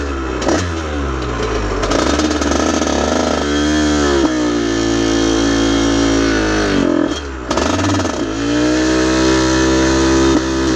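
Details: Aprilia RS50 frame with YZ85 two-stroke engine, after oil-soaked clutch plates: revs sag and break up into burbling then chugging as throttle opens, bogging under load; owner suspects tuning.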